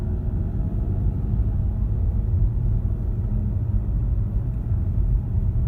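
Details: 2015 Ford Mustang 2.3 EcoBoost with low-profile tires, driving at freeway speed: steady low droning rumble with some pitch, no knock or tick; owner suspects a bad wheel bearing, cause unconfirmed.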